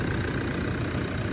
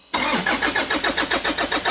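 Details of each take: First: 2013 Toyota Prado 150 diesel, over 300,000 km, new long motor and new turbo, running after the last unplugged connector was refitted: steady, even idle rumble with no knocks, stumbles or hunting; normal idle. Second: 2013 Toyota Prado 150, over 300,000 km, new long motor and turbo fitted, first start with one connector deliberately left unplugged: starter turns steadily about four beats a second for nine seconds, never fires; crank no start.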